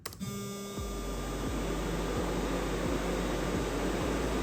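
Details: Electric radiator fans (SPAL) driven by a solid state relay at 80% duty cycle (slow speed) while PWM frequency is being tuned: steady low hum with faint pulsing beat, no grinding or rattle; normal fan running, humming attributed to frequency setting.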